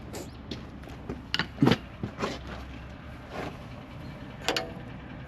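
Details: Fox shock absorber worked by hand giving irregular dull clunks and knocks; the suspension clunk traced to a broken lower bushing/bearing on the shock.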